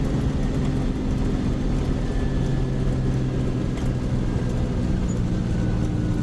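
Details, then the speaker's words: Detroit two-stroke diesel truck, run two years with only oil changes and minimal repairs, on a test drive: loud steady roar with a firm low drone under load, pulling hard without knocks or grinding; sounds healthy. "Gotta listen to that motor scream."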